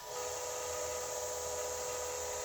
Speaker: you can hear the bearings sing a little bit but i mean it still works